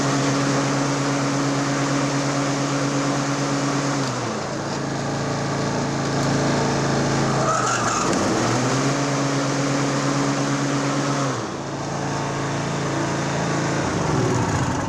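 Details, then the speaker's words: Toro Timemaster 30-inch twin-blade mower in for regular maintenance, blades engaged via blade clutch: steady single-cylinder drone with loud blade whoosh; revs dip twice under load and recover; healthy running. "wow those blades are loud yeah very loud"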